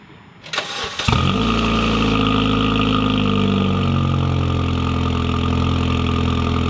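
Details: Honda Civic after installing cheap eBay cat-back exhaust with 3-inch outlet, earlier leaks realigned: brief crank, then smooth, steady, deeper idle and rev, no rattles; normal exhaust sound.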